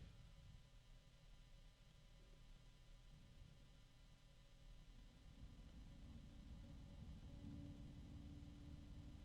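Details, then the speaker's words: Small fan with a quiet airy rush, then an unexpected steady mid-range tone that rises as fan speed rises, audible only with ear close; tonal motor whine where it should be quiet. "Now I can hear a mid-range tone, which I didn't expect. I thought this was going to be quiet at this level because it should be."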